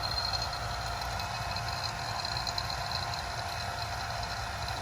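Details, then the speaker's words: Vacuum pump evacuating a small Pioneer mini-split system during DIY install, gauge going negative: steady even motor hum with light hiss, no surging or knocking; normal running. "So we'll crank it up, and you guys will see that gauge go negative."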